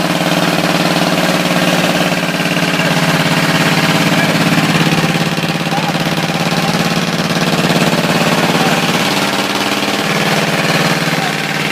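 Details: Ford 351W V8 with a spun bearing, deliberately abused as coolant runs out and antifreeze sprays and burns on the motor: rough idle with a hard, fairly regular rod knock about three to four times per second over the exhaust drone.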